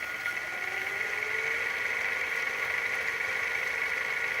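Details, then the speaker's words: Hitachi VT-FX695A VCR, idler gears freshly greased, fast-forwarding a damaged tape: steady thin whir with a faint, slowly rising tone that never reaches a quick spin. Fast-forward is slow, only one speed. "it's really slow it's just as fast as the eighties VCRs"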